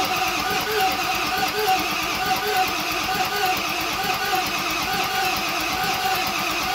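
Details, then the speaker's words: 7.3 Powerstroke (Navistar T444E) turbo diesel, stored almost 2 years, first start attempt, in gear with no driveshafts: steady cranking with even compression pulses, some smoke, never catches; no power found at the glow plugs. "it's making some smoke but it didn't fire so let's check make sure our glow plugs are working"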